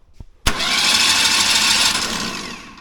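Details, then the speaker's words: Pulling tractor after Waterloo breakage, spark plugs out, cranking to push oil through the oil line: harsh high-pitched whirring crank about two seconds fading off at the end; owner dislikes how the starter sounds, cause unclear. "That's I don't love the way that starter sounds, but crank on it just a little bit."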